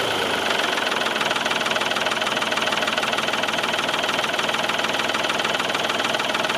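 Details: Old tractor just jump-started with a battery booster; settles into a steady, even idle about three beats a second, no misses or stumbles; normal idle.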